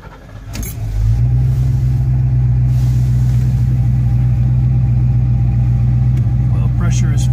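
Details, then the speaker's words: 1971 Oldsmobile Cutlass convertible after driving, warm restart: quick crank, fires at once and settles into a steady, even low hum; healthy hot restart, car runs well. "car seems to run good let's shut it off and restart it go and fire it back up with you"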